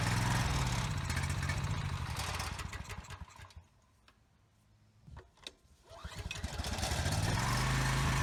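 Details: Husky generator sat 5 years with bad fuel, after carburetor cleaning, while adjusting governor speed toward 61 Hz: runs a few seconds, fades, coughs and picks up; won't stay running, even on choke only about a second.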